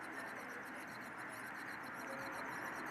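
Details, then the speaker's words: Replacement Quantum Cabo 50 fishing reel, cranked by hand: a thin, quiet squeak about three times a second as the handle turns; still cranks fairly smoothly, cause unknown. "I talked about the problem and this is what's happening here squeak hear there's a squeak here"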